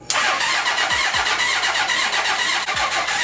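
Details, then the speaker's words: 1980 Honda CB750C engine in half-scale NASCAR kart, vacuum fuel pump on intake boot fitting: even cranking over three seconds, never catches; owner suspects vacuum leak or fuel cell mounted too low. "there's still nothing and I feel like either the vacuum is like leaking or something"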